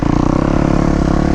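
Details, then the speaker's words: Brand-new Kawasaki KX250 four-stroke with hydraulic clutch, first ride, light throttle: crisp even single-cylinder pulses pulling away smoothly, no misses or knocks; healthy. "oh, it sounds good. This is gonna be tough. Not giving it any real gas, but we'll do our best."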